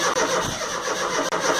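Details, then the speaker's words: Rover Mini Cooper MPI that won't start after storage, in neutral, with fuel confirmed and spark plugs refitted: steady cranking churn with only a small cough and no start. A dead MEMS 2 ECU or injectors are suspected, and injectors are next to be tested. "so no she still doesn't want to go but there was a small coffer"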